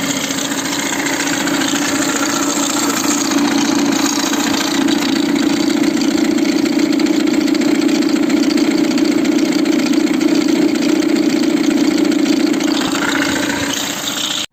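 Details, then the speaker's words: Citroën C4, timing belt recently replaced: harsh, steady whirring rattle at idle, much louder with the microphone near the timing belt tensioner pulley; new tensioner behaving strangely, faulty. "comme vous pouvez le voir quand on l'a mis près du galet tendeur la partie micro ça écoute beaucoup plus et il y a un bruit très moche"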